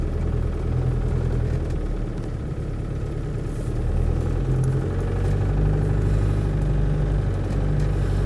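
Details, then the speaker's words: Land Rover Defender 110 CSW 200TDi diesel: even, low clatter at a steady pace with no stumbles or knocks; faint rattle is the rear side windows, normal on these; engine spot on, starts hot or cold, no overheating. "Yeah, engine wise, spot on, no unpleasantness at"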